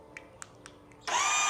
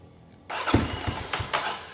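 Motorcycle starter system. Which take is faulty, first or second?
first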